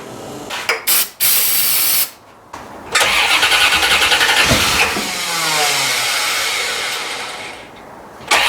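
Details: 1990 C4 Corvette V8, rebuilt after 5 years apart for a blown head gasket: the starter cranks steadily at about three beats a second but never catches. Owner suspects no fuel, since it was parked with little gas.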